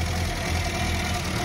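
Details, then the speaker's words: Petrol engine after a Meca-Run engine flush, oil and filter change, oil pressure just over 4 bar, with a leaking manifold gasket and carburettor: a smooth, even low idle with the earlier tapping clicks gone; normal idle. "Avant on entendait du clic là-dedans. clic enfin pas du clic petit hein au sens propre du terrain mais un clic clic clic clic ça tapait là-dedans maintenant ça le fait plus"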